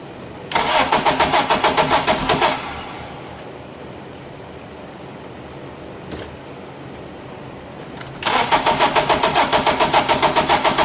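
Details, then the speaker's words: 2007 Acura TSX, towed in, no check engine light, battery dead and charged: even starter cranking about three or four beats per second, never catches; compression fine, cam timing jumped out of sync. "It's It's cranking, but it's a crank, no start. Let me try it again."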